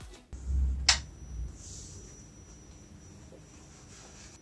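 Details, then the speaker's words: L&C LC-250ATX computer power supply with a seized fan and swollen, leaking capacitors, running: a thin, steady high-pitched whine, possibly coil whine, cause unconfirmed. "okay so it's making a high pitch noise you can probably hear that coming through um I'm not sure what that is could be a coil wine"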